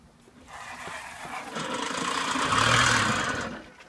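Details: 1980 Puch Maxi two-stroke pedal moped, cleaned up from a ran-when-parked condition; a buzzy, rattling racket swells as it picks up, then dies away. Abnormal engine noise, cause not obvious.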